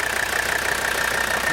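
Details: 1984 Mercedes 300D, 3.0-litre turbocharged five-cylinder diesel, well-maintained original car: short, even run with a steady hiss and faint high tone, no knock; healthy normal diesel idle.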